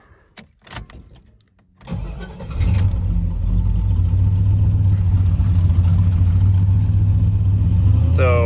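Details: 1985 Chevrolet K20 Suburban, LS swap replacing the original 6.2 diesel, straight piped without mufflers, about 200 miles on the swap: cranks briefly, fires right up and settles into a steady, deep, even idle with no knocks or misses; healthy.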